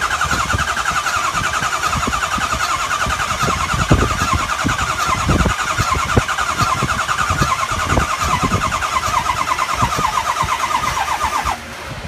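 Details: 2003 Ford 6.0L diesel cranking at a steady, labored pace for about eleven seconds, never catching after high-pressure oil pump replacement; IPR and FICM checked OK. A smell is noticed afterward. Crank, no start.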